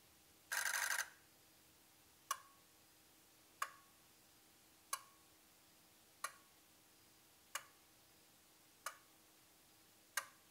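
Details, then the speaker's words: Ford 6.0 Powerstroke diesel, no-start diagnosis: a healthy injector buzz test, with all 8 injectors buzzing together for about half a second, then sharp even clicks as each injector fires in turn. "So I'm going to show a quick clip here of what that sounds like and what a healthy buzz test should be like."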